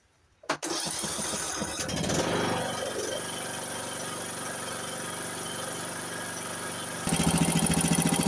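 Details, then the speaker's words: MTD 96 ride-on mower single-cylinder engine after repair, started with choke: brief crank, then lumpy uneven idle picking up toward end, smoking and spitting fuel and oil, likely from unemptied exhaust; runs rough. "Donc voilà, on voit qu'il fume. Hein. On voit qu'il fume et qu'il continue à projeter l'essence et l'huile, notamment qu'il devait y avoir aussi dans le pot échappement, que j'ai pas vidé."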